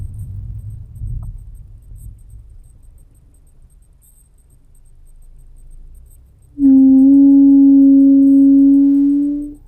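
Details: Car braking below 10 km/h: two loud, steady droning hums lasting a few seconds each over a quiet low rumble when the brake is pressed.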